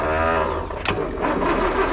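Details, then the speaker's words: Land Rover started after a new starter motor and cleaned earthing points, with choke used: brief cranking, then it catches and settles into a steady, even idle. "Sounds like lovely now, doesn't it?"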